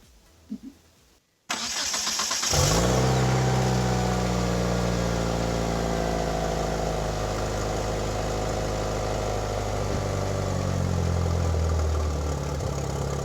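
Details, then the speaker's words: 1997 Mitsubishi Eclipse GSX, started after sitting almost 5 years, exhaust now connected, new alternator and thermostat: starts easily after short crank, slightly rough lumpy idle that smooths a little; vacuum leaks causing rough running. "Started up nice and easy, running a little rough now. Much quieter since the exhaust is hooked up. smoothing out a little. I do have some vacuum leaks, obviously."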